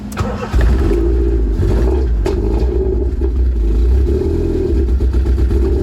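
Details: Honda EF Civic after swapping the DX chassis harness for the SI harness, with a hybrid OBD0-OBD1 + OBD2 engine harness and OBD0 ECU, jump-started in neutral, probably low on fuel: catches and settles into a low, slightly uneven idle with small wavers; runs but not smoothly.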